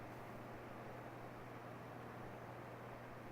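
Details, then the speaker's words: Mini-split heat pump in heat mode on a cold day of about 41°F: compressor, outdoor condenser fan and indoor evaporator all running. A steady low hum under an even rush of air, with no knocks or rattles; normal running. "now I'm gonna go ahead and add the condenser fan now that's running and now we're gonna add the inside evaporator which is gonna blow that nice warm air in here from that heat pump"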